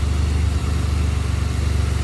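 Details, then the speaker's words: 2007 Pontiac Grand Prix GT after crank-no-start fixed by reattaching a broken ground eyelet to a stud: steady, even low idle, smooth regular beat, no knocks, misses or whines; running healthy. "I just stuck it on there and put a nut on it and she fired up so hopefully that solves the issue with the 07 again"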